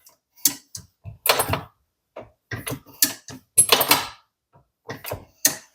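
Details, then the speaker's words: Lee Ultimate Turret Press, reassembled with the detent ball-and-spring fix: turret rotated by hand gives sharp clicks, each stop landing with a crisp positive detent click as the ball seats; indexing sounds healthy. "Now I'll try to be quiet and let you hear the ball clicking in place."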